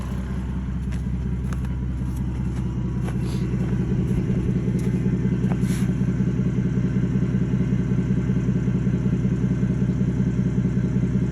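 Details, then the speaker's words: Mercedes OM606 diesel after Liquid Moly Diesel Purge and Power Service Diesel Kleen injector cleaning: steady, even idle clatter and regular low thrum, revs smoothly, no misses or smoke; normal idle. "it's running smooth it's revving revving up about the same"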